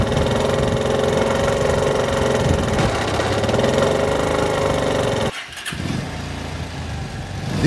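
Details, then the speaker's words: Steady-running engine with an uneven knock underneath that grows heavier as RPM rises. This is typical crankshaft big end noise; stated causes are lack of lubrication, worn big end bearing, and damaged cage and crank pins; big end bearing knock. "is a typical crankshaft big end noise it increases with the increase in engine RPM causes are lack of lubrication"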